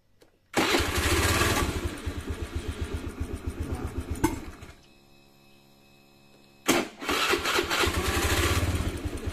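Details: Honda Beat FI scooter after repair of hesitation and dying when throttled, fuel pressure holding with no leak-down: engine catches at once, steady even putter, stops, then restarts cleanly.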